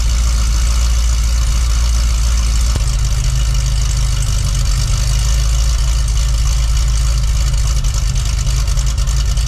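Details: Cadillac CTS-V Wagon V8 cold start with factory mufflers (cutouts closed) after repair for bank 2 fuel trim code and misfire, leak found: loud, deep, steady, even idle with no skips or lopes; normal idle.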